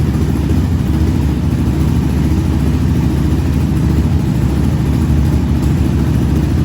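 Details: 2020 Yamaha Raptor 700 after an engine swap and valve adjustment that corrected overly loose valves which could cause ticking; steady, even single-cylinder idle, no tapping, valvetrain quiet and healthy.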